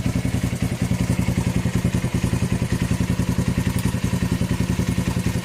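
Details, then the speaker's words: 41-year-old imported Honda XL125S single-cylinder idling with its cleaned, black-painted exhaust refitted; steady, even thump about 214 a minute with no knocks or leaks, sounds okay. "Sounds okay to me. Yeah. Happy? Yeah. He's happy, that's good enough."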